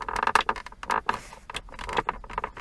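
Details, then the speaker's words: Volvo S60 (circa 2004) center console: irregular creaky squeaky plastic bursts each time the side trim is pressed; plastic trim squeak. "and finally you also have this side trim here that makes noise when I push on it"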